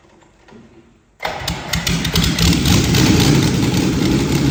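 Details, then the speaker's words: Sixth production Lamborghini, original V12 engine, not run properly for a while: fires up and settles into a ragged, uneven idle with stumbling beats, not running on all 12 cylinders as some are not working; misfire. "It's been a while since this car has run properly. So, what I'm going to do is do a few tricks to uh see if I can coax this into into on back onto 12 cylinders without taking the spark plugs out. even though some of them are not working."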